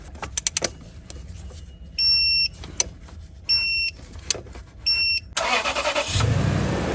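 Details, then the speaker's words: 2007 Toyota Tundra 4.7L V8 after repairing stripped cylinder 3 spark plug thread (P0303 misfire) and new ignition coil: chimes, quick crank and catch, even idle with no miss; code cleared, no check engine light; normal idle. "Alrighty. Look at that, sounds pristine. No more check engine light."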